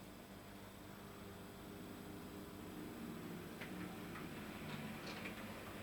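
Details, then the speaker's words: Dapol Class 121 model locomotive after its drive shaft was replaced, run slowly and at full speed: quiet, even motor whir with only faint light ticking and no grinding or catching; normal running. "you can see there's no noise it runs really really nicely and it's a job well done"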